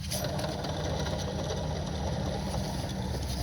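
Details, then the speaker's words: Removed alternator from a 2000 Ford E150 van with 4.2 V6, shaft turned by hand, gives a low gritty rumble, louder under belt tension: worn, rusting bearing that also squeaks; alternator being replaced. "can you hear it you can hear like a little rumbling on it so that noise will be louder with a little belt tension"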